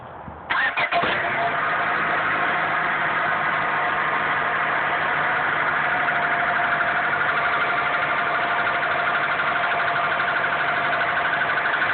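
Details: 2001 Honda Accord petrol engine at cold start, settling into a fast cold idle with a light, rapid knocking; it lasts only a short time, then is gone completely; cause unknown to the owner.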